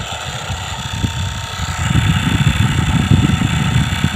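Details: AC/DC fan after repair (it had beeped but not run), screws retightened: it runs with a steady airy whoosh and a low fluttering rumble, sounding normal.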